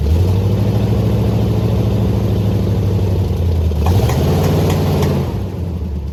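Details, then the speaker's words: 1979 Jeep J20, V8 with dual pipes and a manual gearbox, sat a year with low compression: deep, lumpy rumble with an irregular chug as it revs, a bad miss blamed on weak middle-cylinder compression. "I don't know how well the camera picks it up but it's definitely chuggy or I don't know just has a bad Miss"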